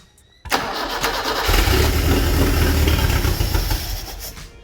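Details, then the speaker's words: Toyota Corolla KE25, fed brake cleaner into the carburettor: engine catches with a sudden roar, runs unevenly a few seconds, then fades and dies as the brake cleaner runs out; brief start then stall. "well that couldn't have been easier all right so it went round once pretty easily um we obviously ran out of brake cleaner in the carb so let's do that again crank it over"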